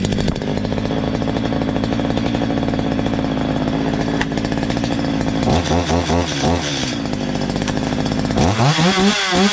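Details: Stihl MS 230 two-stroke chainsaw, owner complained of terrible noise, after tightening slightly loose exhaust; steady buzz with clean throttle blips, no exhaust rattle; clutch drum washer play normal: normal running.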